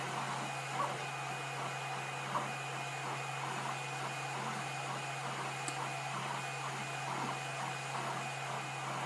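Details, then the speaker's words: Tevo Tarantula 3D printer during its second or third print, with the earlier extruder clicking now gone: a steady motor hum with soft, even stepping and no clicks. The clicking is suspected to have come from the filament pulling with no filament holder. "don't hear it clicking anymore, so maybe it was just a temporary problem. Maybe it was pulling on the filament a bit too much."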